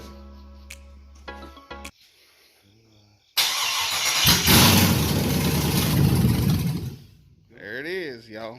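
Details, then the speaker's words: First start of a 5.3 V8 (LS swap) on an engine stand: starter churns at a steady rapid chug for about three seconds but never fires; crank no start, owner suspects it might be out of fuel. "It might be out of fuel. I don't know. Try it again."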